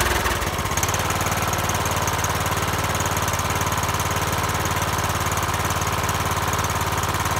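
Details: Troy-Bilt single-cylinder mower after finding the starter failed under load: steady even running about three pulses a second, no misses or knocks; healthy.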